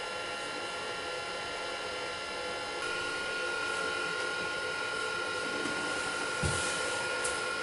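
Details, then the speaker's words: Commodore Amiga 500 stored 25 years, powered on with its old hard drive fitted: fan hiss, then steady high drive whir with no seek clicks; hangs at boot, loose connector suspected, not confirmed. "so i think we can assume that it is not going to boot up no it's hung up"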